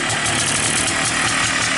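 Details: Polaris Xplorer 250 single on a Yamaha Blaster 200cc clone carburetor that replaced the flooding stock carb, with idle turned up and choke off: a quick, even putter with no misses or knocks, a healthy idle with the neutral light on.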